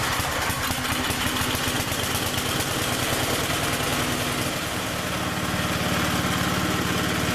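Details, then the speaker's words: 8hp Briggs single-cylinder cold start after a new ignition coil, ignition module, new plug and replacement carburetor: it fires straight away and holds a steady, even chug with no misses. A normal cold start and idle. "i'm gonna tell you that is an honest cold start and i am very impressed with uh that little ignition module and and the other little carburetor and all that"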